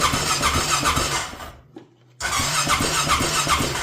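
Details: Rincon 650 ATV on its first start after a rebuild, carb refitted and fuel added, straight pipe with no exhaust. The starter spins the engine at a steady fast churn with a squeal, stops, then cranks again without firing. There is no spark because the plug cap is disconnected.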